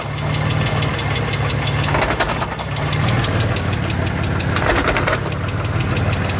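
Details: Mitsubishi 3000GT VR4 at idle: two heavy dull thumps about three seconds apart as the clutch is let out; a driveline clunk whose cause has not yet been found.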